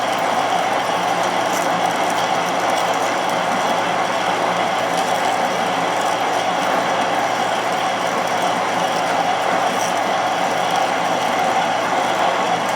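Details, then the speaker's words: Drilling ten times drill diameter in tough material on an old horizontal borer: steady even cutting hiss over constant machine hum, no chatter or squeal; pulling good chips with lube kept at the front. "it's pulling good chips now. Just keep a bit of lube up to the front of it, otherwise it'll all just go clam."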